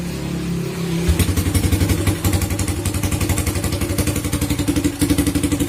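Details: First-generation Honda Supra Fit single-cylinder, hot idle: stumbles unevenly, uneven thumps about four a second, then stalls; misfire and hard starting when hot despite checked ignition parts; the automatic decompressor on the camshaft is suspected, not yet confirmed.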